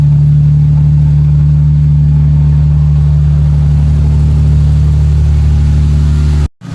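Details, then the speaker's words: 1996 Lexus SC300 manual, 2JZ-GE petrol engine, idling smoothly with an even low hum and no stumbling after its long-start, rough-idle cold start issue was fixed; does not stall when given gas. "now look how it's smooth this engine is idling and if I give it a little bit of gas"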